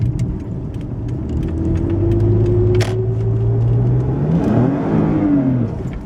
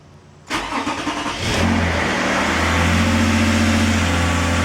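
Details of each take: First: 2011 Toyota RAV4 on a test drive after a transmission rebuild, floored: engine revs climb while the car barely moves, then drive suddenly grabs hard and it downshifts erratically; transmission slipping, cause not confirmed. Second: 2011 Toyota RAV4 after transmission pull and rebuild, checking for the earlier heavy trans whine: engine catches and settles into a smooth, even idle with no whine; transmission perfectly quiet.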